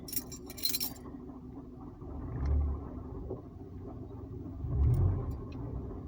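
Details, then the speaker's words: Car accelerating with throttle held: a low deep rumble swells twice under load, fades off-throttle; cause not pinned down. Rumble under acceleration. "like it just has like the i don't know if i'm saying it right but like horsepower kind of feeling like like room like every time i press on the gas every time and i'm holding it it does it"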